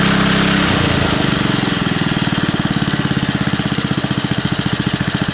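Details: Front-tine tiller with old Briggs & Stratton, cold start, run last week: catches on the pull and settles at once into a quick even beat, no misses; well kept, runs nicely.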